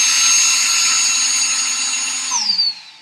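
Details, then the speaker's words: Traxxas XRT with Hobbywing Max5 G2 ESC after calibration: high steady electronic whine with fan hiss, smooth and even, spinning down cleanly; normal ESC and motor run with throttle, steering and fans working. "but as you can see, ESC is running, have throttle, have steering, and have fans."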